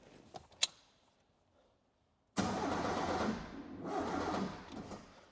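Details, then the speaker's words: Toyota 7AGE in an Echo, first-ever start on a Haltech R3 ECU, brake clean sprayed in the trumpets, no fuel system yet: the starter churns steadily for a few seconds but the engine never catches. Owner suspects timing is 180–360° out. "All right. So, that didn't want to start, but it was like the timing was 180 or so. H probably 360° out."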